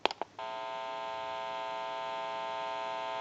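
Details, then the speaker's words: Stromberg Carlson 1543 rotary desk telephone on final checkout after rewiring and dial and bell repair: a steady buzzy hum with a few clicks at the start, coming from the open test amplifier giving dial tone, which picks up static, not from the phone. "And since it's an open amplifier, it is prone to any static interference or noise in the atmosphere."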